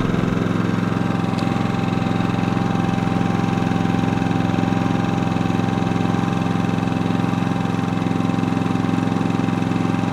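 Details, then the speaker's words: Generator powering an RV air conditioner with a Supco SPP6 hard start capacitor fitted, at about 80°F ambient. The fan motor ramped up first and the compressor kicked in 3–4 seconds later. The engine holds a steady hum with a faint whine, slightly above idle, running normally under load. "that was compressed all right so the first the first ramped up it just been a few hundred rpm that you heard was the fan motor and then it wasn't but about three four seconds later you heard the compressor kick in and it seems to be doing really fine"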